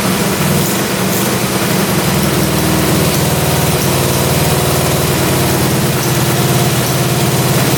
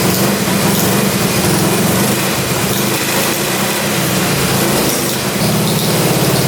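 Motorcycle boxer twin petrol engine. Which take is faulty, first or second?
second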